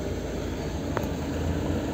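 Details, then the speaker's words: Lada Kalina 1, 8-valve, with LPG: switched from petrol to gas, the revs dip slightly, then hold a steady, even idle around 800–900 rpm with no misses or hunting. A normal idle on LPG. "вот сейчас переключаю на ГАЗ Вот они чуть просели обороты и также где-то 800 Ну 900 в этих пределах"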